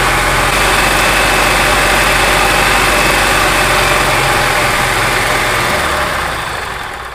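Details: Gas EZGO TXT golf cart engine, brought in skipping badly, with worn valves found; loud, even note holds steady for several seconds, then speed drops away as it shuts off, running smoothly.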